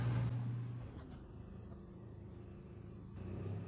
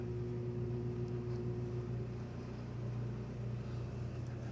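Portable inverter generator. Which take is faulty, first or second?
second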